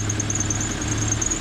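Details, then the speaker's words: Honda Civic engine just rebuilt after knocking (mains, oil pickup and pan redone), first start at idle without revving: steady even low hum, no knocks or shaking, power steering pump not squealing; a slight tick suspected from an exhaust leak. "let it idle don't rev it up just let it sit there and idle she's alive"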